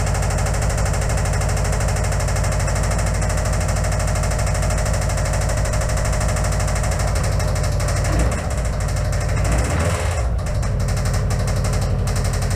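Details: Subaru Impreza WRX started on a weak used battery through booster cables with the charger on boost: heavy, uneven pounding chug at idle with a hard hammering edge. The engine runs badly, cause not yet found.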